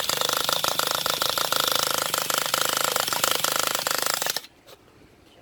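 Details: Traxxas Revo 3.3 nitro engine that made a clunk and cut off while driving; after glow plug, fuel and low-speed needle adjustments, cranking with fast uneven rattling ticks about three per second, never catching, owner suspects no compression.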